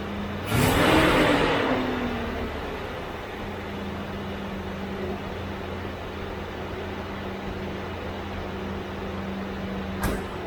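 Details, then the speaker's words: C3 Corvette with Chevy 350 V8 after replacing the fan clutch, whose old one failed to disengage and made revs hang after lifting when warm: quick blip falls straight back to a steady, even idle hum with no hang; normal after repair. "Yeah, I don't know if you can hear it, but it's definitely, as soon as I let go of the throttle, it idles back down again. It doesn't do that kind of rev up and sit there and then go back down."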